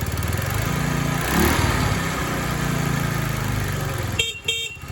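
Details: TaoTao 50 Chinese scooter, a discarded machine being revived, small two-stroke buzzes unevenly with surging revs, then a horn toots; barely holds idle and wants to die off throttle, carburetor and throttle linkage still unadjusted, so rough running.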